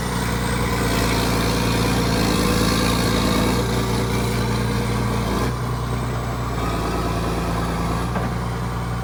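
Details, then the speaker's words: 1980s John Deere 790 excavator, 48,000 lb, all-mechanical diesel, at low idle (not idled up): deep, steady thrum with an even beat, no knocks or misses; idling clean, a pretty good machine. "oh man you can't touch a machine like [Music] this it's not even idled up so no no i think it's a pretty good machine"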